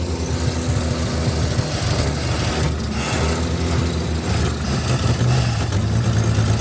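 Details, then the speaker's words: 1955 Chevy 3200 truck, first start after about 50 years sitting: catches and settles into a lumpy, uneven, wandering low idle with huge smoke. Rusted-out muffler is blowing dust. Rough running after long storage. "is an insane amount of smoke."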